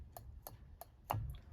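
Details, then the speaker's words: Holden FB/EK horn controller relay after wireless replacement of the original horn contact parts: sharp, evenly spaced clicks about three per second, indicator light visible; the relay switches properly, normal relay clicking. "and hear it clicking can hear it clicking also can see the light through that's done"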